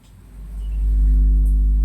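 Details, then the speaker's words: 400 W mono power amplifier; low mains hum swells and holds as a hand nears the PCB or heatsink, louder closer, fading farther away, though not touching main input: hum induced by hand near circuit board. "Semakin jauh semakin tidak. Semakin dekat. Semakin dekat lagi bunyi. Padahal bukan input yang utama, Lur. Nah, hanya PCB-nya saja."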